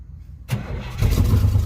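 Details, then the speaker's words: Lifted 1985 Chevy Suburban with Edelbrock carburetor, sat for 4 years, first start on carb and choke cleaner: after silence the engine catches at once and holds a low, steady idle without stumbling; starts easily. "Did it really just start that easy? It started. That's good. It works."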